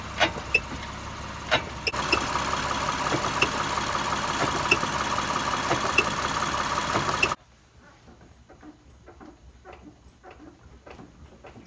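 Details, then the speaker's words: Car front driver-side suspension squeaking and knocking when braking or going over bumps, from the upper control arm; heard over road rumble as quick repeated creaks. "but there were two different distinct noises one was the squeaky noise and the other was a knocking sound"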